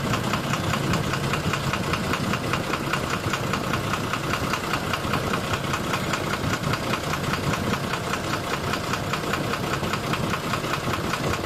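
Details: 12-M FE engine idling with a regular knock about two or three per second over the engine, cause not yet pinned down; engine knock at idle.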